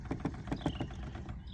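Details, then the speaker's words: 2025 Mazda CX-90: light, uneven plastic taps from the back, first heard on the interstate at about 80. Suspected loose plastic trim on the hatch, with wind catching it; owner plans to seal it with silicone. "the other day I was running down the interstate about 80 and something started making a rattling noise in the back"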